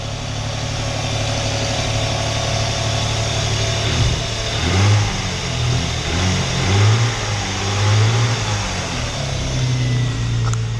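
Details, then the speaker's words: Vauxhall Omega 2.5 V6 after coil pack fix; two cylinders previously had no spark. Steady, even V6 hum with smooth throttle blips, no stumble or skip; now running on all six cylinders. Normal idle. "that is running all6 cylinders thank goodness for that"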